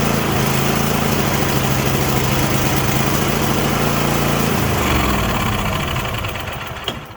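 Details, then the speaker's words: 2016 Craftsman T8200 Pro mower with a 24 hp Kohler Elite KT735-3068, 46 hours: with carb cleaner sprayed into the intake, bypassing the carburetor, it runs loud and fairly even for about six seconds, then dies. The carburetor is not delivering fuel. "So at this point, we know that the issue is that we're not getting fuel."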